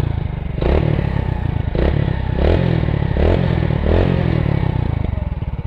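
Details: Motorcycle after clutch housing/clutch plate work, with an HF Deluxe part fitted: five quick throttle blips rise and fall cleanly, with no rattle or clatter from the clutch side. The bike sounds healthy.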